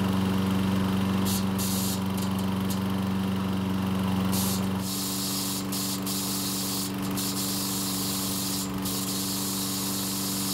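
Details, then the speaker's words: Troy-Bilt walk-behind mower after repairs for gasoline and oil leaks, now starting with one easy pull: engine runs at steady speed with irregular metallic chatter as the starter pawls strike the flywheel posts. "but it's not all good as you can hear the starter poles are making contact with the flywheel posts which sounds terrible"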